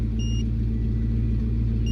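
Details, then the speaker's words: 1999 Ford Mustang GT V8 idling with a stumbling, uneven beat; scanner code P0303, cylinder 3 misfire; fixed with a new coil pack and spark plug. "so I was finally able to get a reading on my scanner and we got a misfire in cylinder three"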